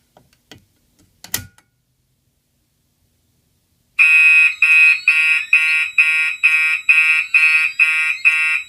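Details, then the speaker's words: Gentex fire alarm system test: the horn on a NAC set to continuous codes itself to the older pulsed march-time pattern. After a few seconds of quiet, a shrill horn pulses about twice a second; a normal alarm signal. "The knack for this horn is set on continuous, but it's going to be coding itself to the pulse march time pattern that these older ones had the option for."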